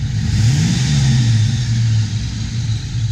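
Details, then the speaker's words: 1992 Ford Mustang GT V8 after cold air intake and bigger throttle body, idle settled around 600–750 rpm: deep burble swells with a quick throttle blip and settles smoothly, clean exhaust rumble, no misses or knocks; healthy. "Still sounds healthy as hell. It does sound healthy."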